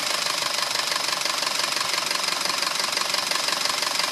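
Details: 2009 Audi A4 2.0T, 82,000 miles, fresh 5W-30 oil change: steady sharp ticking knock about three per second at idle, loudest by the PCV; dealer found metal flakes around cam lobes, recommended a new engine; sluggish from a stop.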